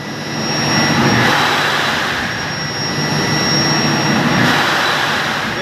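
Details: 1300 TR centrifugal chiller compressor surging live, with a loud rushing roar swelling and fading every few seconds; evaporator pressure dropping very low, around 26, and low refrigerant charge found as the root cause.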